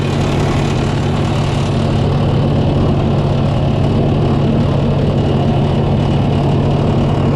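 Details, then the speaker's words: 292 Chevy inline six gasoline engine on a 703 UniSystem power unit, after re-timing the distributor and adding fresh gas: deep, even idle rumble with a steady low drone, no misfires or stumbles; running smoothly. "And, well, something probably wasn't timed properly, but now it runs great."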